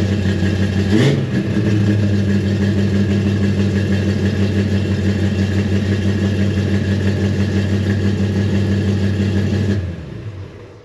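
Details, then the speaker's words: 1957 Chevy after 31 years, after fuel sending unit replaced as the cause of earlier running problems: catches after short crank, settles to steady low idle, slightly rough, idle still needs adjustment; far better than before. "so I guess that was the issue because it ran pretty good A little rough on the startup Idol still has to get adjusted"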